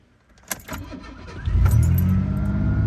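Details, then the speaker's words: 1988 Ford Ranger after muffler repair with new bolts and stainless muffler: cranks, catches, settles to smooth even low rumble, no blowing or ticking; exhaust sealed and quiet, normal. "Oh well, at least I can hear myself think now. That is so much nicer."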